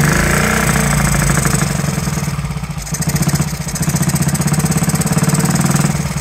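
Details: 1969–70 Honda Z50 first start after 35 years lopes unevenly at idle, beat fading and picking up, loose rich-sounding stumble; running rich, owner suspects carburetor slide needle set too high and air screw needing adjustment.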